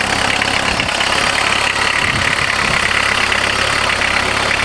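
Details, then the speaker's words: Diesel van converted with a Jetta diesel engine, just started after hand-priming the empty injection pump. Steady cold idle with hard ticking clatter and no misses: normal for a cold diesel. "perfect they sure are noisy when they're cold"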